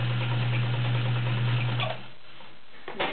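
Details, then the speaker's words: Vintage heavy-duty Kenmore model 1207 sewing machine sewing straight stitch. Even motor hum with steady stitch ticks about four a second, smooth and free of knocks until it stops; described as quiet, powerful and nice sounding: healthy. "Very nice machine. Quiet. Okay, straight stitch. You can really hear the power. It's a very nice sounding machine."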